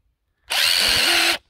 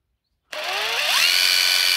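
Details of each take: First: Hilti SID 4-A22 impact driver losing power: high-pitched motor run under a second with uneven rough knocking; drywall dust fouling the switch and motor, fixed by cleaning with contact cleaner. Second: Hilti SID 4-A22 cordless impact driver after teardown and motor cleaning with contact cleaner, previously losing power and noisy: smooth motor whine rises in pitch and holds steady with no rattle or grind; running properly after repair.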